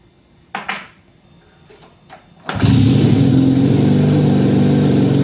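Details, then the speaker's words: 1968 Honda CL175 with supercharger (300cc blower on 175cc engine), first start in 30 years after kicks, car battery power, ~92°F garage: clanks, catches, fast lumpy idle pulsing ~three times/s; owner suspects vacuum leak, carb jetting or oversized blower. "Well, definitely wants to idle high. There could be, or there are several reasons for that, but I'll just have to figure that out another day. It could be a vacuum leak."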